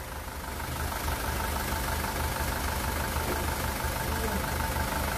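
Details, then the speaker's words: 2018 SsangYong Rexton Sports 2.2 diesel, 119,174 km, after engine rebuild (broken crankshaft cap bolt had holed block, melted No.1 piston; crank, pistons, bearings replaced): smooth steady idle, no knocking or vibration, former tank-rolling noise gone; normal idle. "아 우리가 너무 좋은데요 아 이제 탱크 굴러가는 소리가 안나요 소리가 너무 잔잔 합니다"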